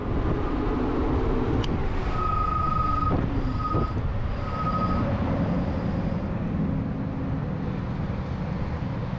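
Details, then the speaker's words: E-bike front disc brake after upgrading the rotor from 180mm to 203mm: thin high squeal in short bursts while braking on the road, quieter than before, with stronger braking. "all right so it's not as annoyingly loud I still do get a little squeal as you can hear but the brakes feel a lot more sensitive but in a good way"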